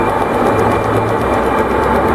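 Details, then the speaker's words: Consul Floral 7 kg washing machine on spin cycle: loud, steady rumbling roar from worn drum bearings, contaminated by water leaking past the seal; needs seal and bearing replacement. "agora o som que a máquina está produzindo essa máquina tá é como ela é seletor você pode girando chegou num ponto dela ela vai iniciar esse som em si é rolamento"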